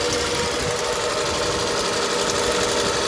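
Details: Detailed car at auction with new motor mounts, rough start, running on its own power with check engine light on: uneven stumbling idle; misfire at idle.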